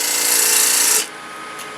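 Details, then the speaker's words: Wood lathe turning a spiton-shape hollow form with a bowl gouge: a harsh, rapid rasping scrape that eases off after about a second; tool chatter because the blank is still not quite round. "i'm gonna still hear the chatter so it's not quite round yet and that feels smooth"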